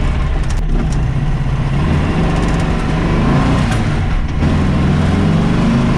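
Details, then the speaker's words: VW Baja Bug converted from twin carbs to a single Weber 40IDF, not yet tuned: loud lumpy low chuffing with uneven beat and sharp puffing from one cylinder; misfire as a spark plug, probably left loose, blew out of its hole. "That sounds absolutely awful. Sounds like it's just popped a spark plug right out."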